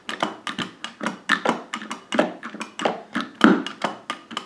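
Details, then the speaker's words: Arcade joystick with an ill-fitting washer and a snap ring inside; sharp plastic clicks and an intermittent heavy internal clunk come in bursts as the stick is worked, and the left direction sometimes fails to engage. Cause unclear. "hear that big clunk it won't happen every time either"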